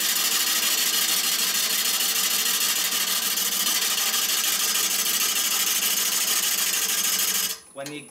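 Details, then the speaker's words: Maple burl bowl on a lathe: steady hissing cut with quick, uneven chatter as the gouge bites and misses on the broken natural edge, tending to kick the tool away; pulling down more firmly advised. "pull down on the tool a little bit more firmly again you're going to be cut and missing and therefore it's gonna want to kick the kick the tool away"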